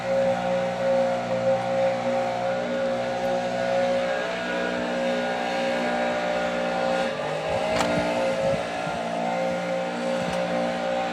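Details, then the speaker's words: Homelite UT08572 two-stroke trimmer after repair, engine hot, just before a compression test: steady, even high-pitched buzz holding speed with no misfires or stumbles. Running well. "Let's see how it's doing now. It's sure running well. It's hot. Might need to let it cool."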